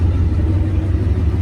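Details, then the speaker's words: 1955 Packard 400 hardtop, 67k believed-original miles: deep, loud, throaty idle rumble, running smooth but louder because one of the mufflers is blown out; engine itself purrs. "It needs a muffler. One of the mufflers is blown out of it, and you can hear that, why it's a little louder."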